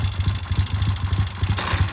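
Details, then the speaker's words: 1970 Triumph motorcycle at idle before a test ride, after leak check work: even steady low thumping with a regular beat, no knocks or ticks; sounds good, idling normally. "grab it up some there you go sounds good and here comes Beetle bomb under his own power always a good thing"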